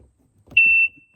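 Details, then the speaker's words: 1996/97 Sea-Doo GTI jet ski after sitting outside for years, new fuse fitted, original key on: one long high beep and no start; security system suspected of not recognising key (keys don't match), cause unconfirmed. "You can't really hear it, but apparently the one obnoxious beep means the keys don't match or something."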